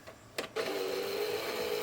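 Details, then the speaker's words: Sony PS3 Slim CECH-2001A after fixing its noisy disc drive: brief clatter as disc loads, then steady fairly quiet mid-pitched whir with no grinding; much better than before, not perfect. "Yeah, that's much better. Not perfect, but it does sound a hell of a lot better than what it did."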